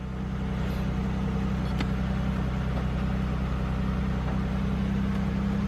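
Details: GM car that had P0300 random misfire, idling after the fuel pressure regulator was replaced, the oil changed and codes cleared, coolant at 88. Steady, even low idle with a smooth regular pulse and no stumbles.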